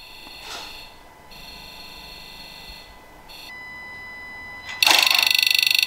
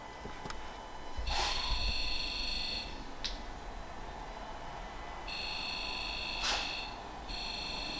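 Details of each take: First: Ford Ranger PX 2.2/3.2 diesel, FORScan injector self-test buzz in park: sharp electronic buzzing, then even rapid ticking near 3–4 per second; every injector sounds the same, with no inconsistency. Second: Ford Ranger PX 2.2/3.2 diesel, Forscan injector buzz self-test with one injector disconnected: injectors buzz in quick bursts but a long silent gap breaks the sequence; dead injector, code shows cylinder 2 injector circuit open.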